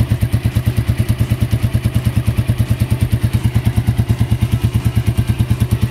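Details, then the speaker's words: Keeway CR152 single-cylinder motorcycle, 5,000+ km on Shell Advance oil after six months, idling after oil change: sharp even tick about three per second riding each firing pulse; valve clearance deliberately set loose by owner. "Ngayon yung lagitik, guys. Dito yan sa ano ko, sa valve clearance ko."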